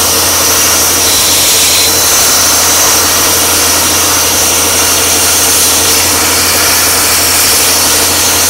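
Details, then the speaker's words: A 40 amp plasma cutter at 15 amps, with air backed down to 40 psi (higher pressure seemed to hinder), gives a steady loud hiss and airy roar, no sputter; it cuts thick plate very slowly; slow low-amperage cut. "i mean it's very very slow but it will cut it so there you go you see if you had to cut something this thick whether on 15 amps lower your air pressure"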